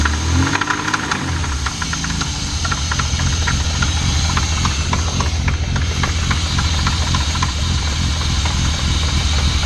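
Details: BMW M50 petrol six idling with a loud, fast rattling knock over its low, steady rumble.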